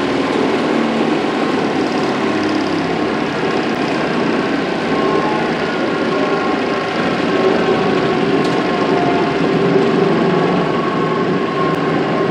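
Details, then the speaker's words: Workshop chip/dust collector before rebuild: steady rough low growl with churning rumble, no real pitch change; major impeller imbalance and worn impeller and motor bearings, later fixed with new bearings, belts, balanced impeller, new volute. "so as you can hear uh it didn't sound too healthy that thing has been growling for a long time uh the impeller had a major imbalance in it"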